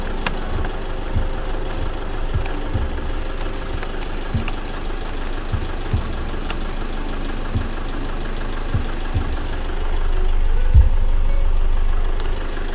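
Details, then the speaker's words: 2012 Toyota Fortuner G VNT 2KD turbo diesel automatic, 152,000 km, freshly serviced, dry engine with no blow-by; steady low diesel idle clatter about three and a half beats a second, no odd knocks, typical 2KD sound. "lihatkan mesinnya, ciri khasnya diesel 2KD ya, khas suara dieselnya."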